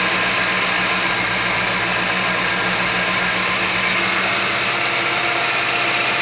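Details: Warm 1991 GMC Jimmy at 55°F ambient idles high, steady but slightly uneven, with heavy hiss. A flammable-spray test found no vacuum leak. Owner suspects a faulty air-fuel or other sensor sending false data. Unconfirmed.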